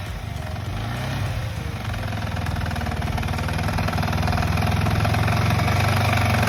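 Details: Yamaha R15 after repairs for engine/valve tappet noise: steady, even idle with smooth regular low beat and no tapping or rattle; sounds like stock new again.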